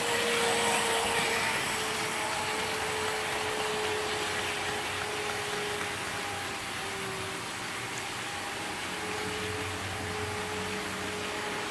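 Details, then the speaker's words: Trix 22764 DB BR 120.0 HO-scale metal electric locomotive with two driven axles, running in analog mode on a Kato controller. Steady whirring hum with a faint wavering tone over track rumble; the motor runs louder than it should: noisy motor. "And I will be using a shorter freight train for this run, as the motor on this one is quite noisy, of which you will hear in the test run."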